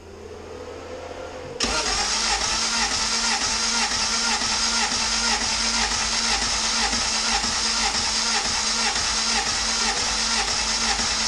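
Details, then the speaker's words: Compression test on a turbo GSR-swapped EG hatchback, spark plugs out. Starter cranks steadily with light, even pulses about twice a second and no firing. The first cylinder tested reads only 90 psi and leaks down slowly; worn rings suspected, engine needs a rebuild. "right yeah that's definitely pretty weak oh and it's leaking the cylinders got leaked it moved it's moving down pretty slowly"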